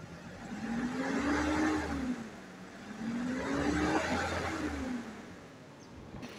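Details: 1993 Toyota Kijang Grand Extra KF40 1.5 carbureted engine, described as dry with no smoke: two clean revs rise and fall smoothly with no stumble or misfire, carburetion and plugs normal at high rpm, and no white exhaust smoke; healthy engine.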